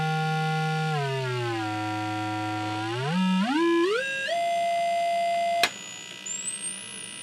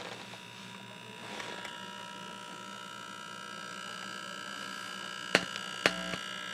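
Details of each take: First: Scott tube amplifier under repair, where bias had been modified: a pure test tone glides and steps up to a thin high whistle of about 9 kHz, with no hum, crackle or dropouts. Signal is passing cleanly. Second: Scott tube amplifier on the bench, power transformer: steady low buzz under a thin high whine, then two sharp clicks. The transformer groans now and then.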